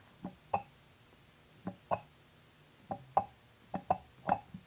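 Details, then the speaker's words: BMW E34 heater valve solenoids on the secondary heater pump, bench-tested with a 9 V battery instead of 12 V: crisp single and paired clicks as each valve snaps open and shut, both sides working. Normal solenoid click. "okay well the frog sound tells us it's working let's try the other side and we have another frog on this side as well good so these two pistons are working"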